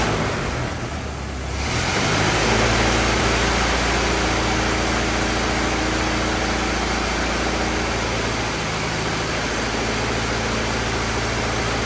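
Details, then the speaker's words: 1927 Ford TT truck, old four-cylinder, choked, on battery: slow, even idle with a steady low beat, no knocks, misses or rattles; some oil leaking, owner suspects loose hogshead inspection cover; normal idle. "let's shut her down and uh we'll call that a success huh good enough it's a good runer got no no complaints about any of that"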